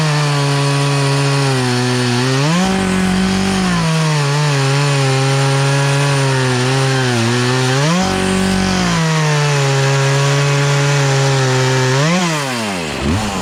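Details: Poulan Pro two-stroke chainsaw, sat unused about three years, after carburetor adjustment, cutting small logs; crisp high scream bogs slightly into each cut, recovers cleanly, idles back smoothly between cuts; carburetor running right.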